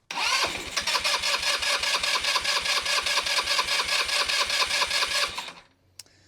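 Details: Carbureted engine cranked with fuel line off pump during fuel delivery check: about five seconds of steady even cranking pulses, never catches; turns over but won't fire, fuel supply suspected.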